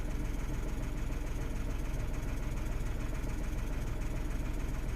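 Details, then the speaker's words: 2016 Renault Twingo 1.0 three-cylinder with something disconnected during repair, no codes or misfires read; steady but lumpy low thrum with slightly uneven pulses; running a little rough at idle. "I have all of the disconnected so the car is running a little bit rough at the moment but I want to sort these out before I put everything back in"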